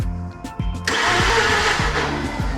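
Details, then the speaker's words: Mazda RX-8 rotary found abandoned, cranking after fuel pump primed and a disturbed fuel pipe checked: quick uneven starter whirr with no firing; accelerator pressed to try de-flooding, owners suspect it is flooding itself. "Got the accelerator in again, we're going to try and de-flood it if it is flooded. Maybe it's struggling to start and it's flooding itself."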